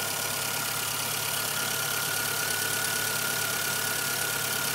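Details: Light, quick top-end ticking at about 160 per minute over a quiet, steady idle from a 1997 Suzuki Swift 1.3L engine; cause not yet pinned down.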